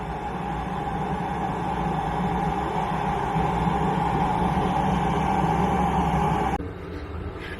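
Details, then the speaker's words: Chinese diesel air heater newly installed in a diesel truck camper, first fire-up after priming, now at full output with audible combustion and lukewarm exhaust air. Steady roar from the burner and fan with no surging or popping: normal running. "all right old Bessie sounds like she just kicked into high gear you could hear a audible combustion noise coming out of here"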